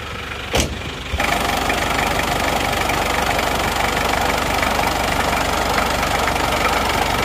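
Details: Isuzu Panther 2.3 diesel before repair, using oil, with heavy smoke from the breather hose under the engine: even idle, still smooth, but a loud steady rushing hiss over the clatter; heavy blow-by from worn piston rings and liners.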